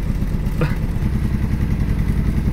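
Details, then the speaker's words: 1965 Ford Mustang coupe that hadn't run since last year, idling after setting the points, cleaning the plugs and adjusting timing: a lumpy idle with uneven low thumps and dropped beats, aggressively missing and shaking; it still needs more adjustment. "sounds like it's missing [Music] it's pretty aggressive missing almost a so we just set the points clean the plugs timing and she turned over and fire it up"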